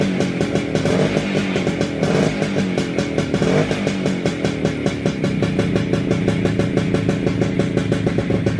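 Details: WSK 125 two-stroke motorcycle, first start after engine rebuild, engine back in frame: fast, fairly even idle with light blips, no knocking or misfiring; owner surprised it started and held idle. Normal running.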